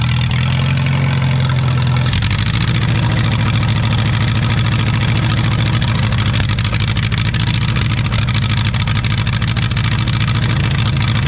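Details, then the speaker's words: Allis-Chalmers WD tractor, first start in 25 years, rebuilt engine with eBay stock pistons, Marvel-Schebler carburetor, mixture screw 1.5 turns out, restart: steady low lumpy uneven idle; ran well on choke, carburetor needs pulling again, timing believed right. "I'd probably kill it, dude. We're gonna have to pull the carburetor back off."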